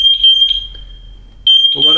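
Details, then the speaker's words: MatElec wireless smoke alarm keeps sounding a shrill steady tone in long pulses after the smoke was cleared with a vacuum. The hardwired units stopped; the alarm keeps going until the button is pressed. "it definitely not my preferred brand they do all sorts of strange things like that every other alarm if you cleared the smoke it would stop St them all"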